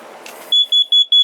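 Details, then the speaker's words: Household smoke alarm tested after the batteries were questioned as dead: a click, then four loud, even high-pitched beeps about a fifth of a second apart. The smoke alarm is working normally. "so I guess it does work. I'm just checking because I don't want to see anybody die here."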